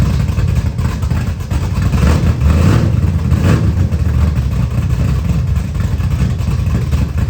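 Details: 1979 Camaro with a 355 V8 just reinstalled, idling on restart: deep, uneven rumble that hunts and stumbles without settling. Timing read 20 degrees with a backfire earlier; air-fuel ratio about 22.5:1, dead lean, carburetor needs tuning.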